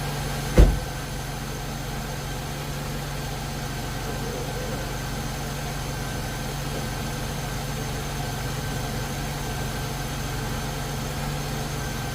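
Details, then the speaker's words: 2001 Chevrolet Impala 3800 V6 after ZZP upper intake manifold install and a new fuel injector O-ring: steady, smooth idle with no hiss or hunting after one brief bump; owner thinks the O-ring fixed a vacuum leak or poorly seated injector. "alright, so I think we're good. I think that new O-ring fixed that vacuum leak, or that, you know, fuel injector not seating correctly."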